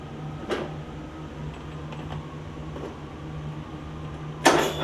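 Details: Free Yard Machines riding mower, single-cylinder engine that had filled with water after sitting with air filter off, first start after revival, valves not gapped: steady low thrum with uneven, wandering beats, occasional stumble; owner suspects running rich, rough running.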